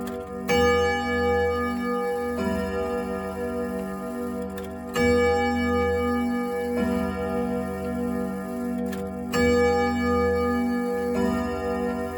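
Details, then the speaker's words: 1927 Junghans German grandfather clock after restoration, hands temporarily fitted, pendulum possibly slightly out of beat on thick carpet: clear, evenly spaced bell strikes about every two seconds over a steady tick-tock; chime and strike working normally. "You know what I think I like about it the most is that it makes all that noise, and they all do this, but it makes all that noise. And then behind it is the tick tock."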